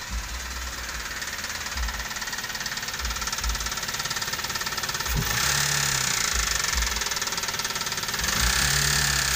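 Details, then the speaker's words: 2012 Toyota Avanza (older-style engine) with complaint of rough, diesel-like engine noise: rough idle with a hard rattling knock about 3–4 per second following the revs, heard from the side of the engine; suspected mechanical knock, not confirmed. "Hai di tahun tahunnya tahun 2012 tahun 2012 ini keluhan suara mesinnya kasar ya temen-temennya"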